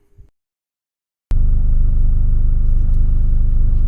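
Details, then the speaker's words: Car after exhaust was welded back together (previously sounded like a tractor): engine catches and settles into a deep, steady, even rumble with no rasp or exhaust puffing; normal idle. "so you guys can hear what it sound like and it doesn't sound like a tractor no more I'll tell you that and yeah"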